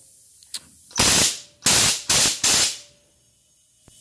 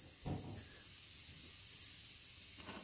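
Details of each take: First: DIY vapor blaster pneumatic solenoid after blasting its internals, operated by foot pedal: four sharp hissing air dumps cutting off cleanly as the cylinders refill; solenoid cycling properly, no leak (background hiss is another cabinet). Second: you can still hear the hissing but I'm hoping you can distinguish the dist the difference between the cabinet over there and the fact that this isn't leaking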